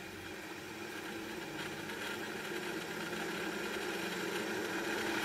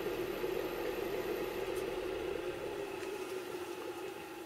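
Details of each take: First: Draft inducer motor on an ECM furnace, running: steady hum with a gritty rumble and fast uneven rattle from a failing 608 ball bearing, later replaced with a double-sealed bearing. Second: ECM furnace draft inducer motor after replacing its noisy worn 608 ball bearing with a double-sealed bearing, running briefly: quiet, steady mid-pitch whir with no rumble, grinding or squeal, much quieter than before; normal running.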